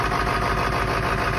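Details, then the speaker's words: 1997 Ford F-550 7.3 Power Stroke diesel, cold start after sitting three weeks, very cold: steady, even low diesel rumble with smooth regular beat, no knocks or misses, sounds like brand new; normal diesel idle. "sounds like brand new"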